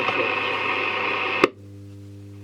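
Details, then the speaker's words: 1953 Stromberg Carlson Baltimore radiogram with loose, dodgy valve sockets: hissy radio audio plays, then crackles and abruptly drops to a low hum, completely dying intermittently; cause suspected but not confirmed. ">> Yeah, it just completely dies."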